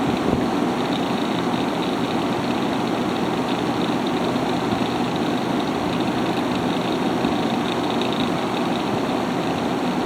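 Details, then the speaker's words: Haier ESA410J-RGB 10,000 BTU window air conditioner, airflow test with the fan on high at about 1,700 RPM: a steady, strong rush of air with an even fan hum and no rattles, squeals or cycling. It is running normally. "So, yeah, this thing is a lot of power."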